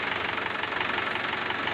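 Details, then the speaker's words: Mahindra Swaraj 843 diesel tractor: even diesel clatter at a steady idle with no surging. Smoke dropped when revved, though not fully gone; the engine sounds healthy. "तो जैसे हम इसको race देते हैं तो इसमें धुआं भी कम हुआ है, बिल्कुल बंद तो नहीं हुआ पर इसका धुआं भी कम हुआ है। और अभी ट्रैक्टर स्टार्ट है, आप इसकी आवाज़ सुन सकते हैं।"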